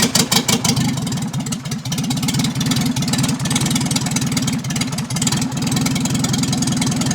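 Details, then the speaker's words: 1955 Morris Minor with freshly installed engine, no exhaust downpipe fitted, sticking throttle: raw, loud, harsh crackling exhaust pulse at idle and revs; engine running with no exhaust, charging, oil pressure good. "So yeah, start it up and get it up to speed. Oh, there's no exhaust on yet either, we kind of can't find the downpipe."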